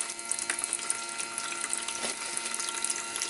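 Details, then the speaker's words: GTR1400 motorcycle that won't start after a year stored, electric fuel pump on bench test: harsh rattling buzz over gurgling, spitting fluid; pump straining on water-contaminated fuel, reddish, likely rust. "But it's just water. That sounds like the pump's going crazy. So, I'll just stop it. I don't want to burn out the motor."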